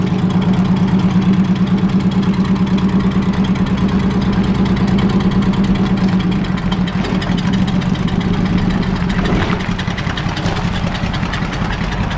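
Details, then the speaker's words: 1947 Chrysler Royal with Fluid Drive, first drive after sitting, moving under its own power: even, steady low engine pulse with light driving noise; pulls smoothly, running pretty good; temp gauge not reading. "it's all right it's actually running pretty good"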